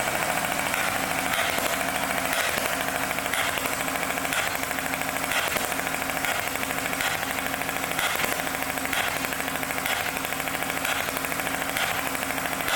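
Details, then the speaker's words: Mower engine before its repair, with a push rod dislodged after a mouse nest jammed the guide: uneven, lumpy running with an irregular thump about once a second, like a hit-and-miss engine, one cylinder dead while the other push rod still works its valve. "like sounds like a hit and miss engine now reason it's doing that is because the other push rods still opening and closing the one valve not just the other one"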